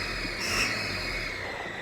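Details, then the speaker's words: 2013 Mercedes Vito 113 CDI turbo diesel, heard from inside the cab: a thin, high, steady squeal over the engine when accelerating. Suspected rear-of-head exhaust manifold gasket leak, later found failed at cylinder 1 with soot deposits. "Then we suspect that that's an exhaust gasket leak issue from the rear of the head."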